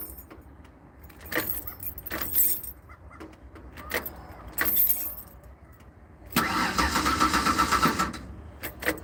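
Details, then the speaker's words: Ford Aerostar after a replacement fuel pump was just installed: engine cranks about two seconds without catching, and no pump sound is heard, only silence where a pump hum was expected; owner suspects a bad fuel relay. "If it works, it should sound like a fuel pump instead of just a click. Let's see. See if it happens. Let's listen. Ready? I don't hear much of anything."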